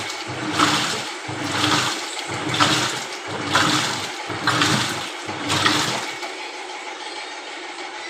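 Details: LG Intello Wash 6.0 kg WF-T7066MN washer after replacing the grinding gearbox with a new one, spin starting: rhythmic whooshing surges about once a second with water draining and no grinding underneath, then it settles; spin starts cleanly.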